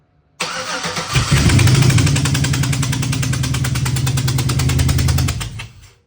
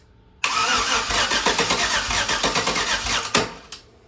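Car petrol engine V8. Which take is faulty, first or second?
second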